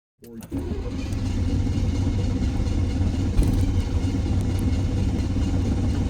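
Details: Low, steady churning turnover of roughly three beats a second that keeps going for seconds without catching cleanly after a stall; a hard start with long cranking.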